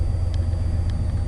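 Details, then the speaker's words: 1990 Chevy K5 Blazer V8, freshly rebuilt, started cold with good fuel pressure: deep steady exhaust rumble idling at about 1000 rpm, even pulses, no misses or knocks; healthy idle. "idles at about a grand it's got a nice Rumble I love it"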